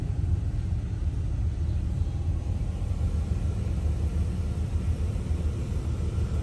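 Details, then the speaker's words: 1986 Oldsmobile Cutlass Supreme: deep, even rumble with no knocks, misses or surges, a nice smooth idle from an engine that fires right up: normal idle. "you can hear the nice smooth idle this car really sounds great"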